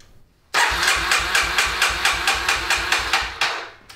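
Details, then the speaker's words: 2000 Kawasaki Super Sherpa 250cc single, stored for a few years, ran when parked; starter turns it over in steady thumps about four or five a second for three seconds, never fires. Cranks, won't start, cause unknown. "it ran when it was parked but now it'll turn over"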